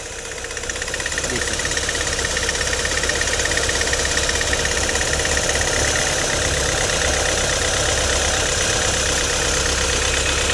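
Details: 2012 Hyundai i20 with code P062E, starting trouble, stalling off throttle and slight overheating: uneven idle with an irregular stumbling beat, about three pulses a second, and hunting; misfire traced to a faulty cylinder 2 injector.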